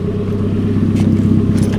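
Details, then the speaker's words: Nissan Pulsar GTiR on a new tune, engine not yet fully warmed up; the idle is high and uneven, with a pulsing, lumpy beat from cycle to cycle, so the idle is running rough. "I don't know about this. Doesn't sound right. Bit lumpy bumpy. And idle's quite high, but it's still not properly warmed up."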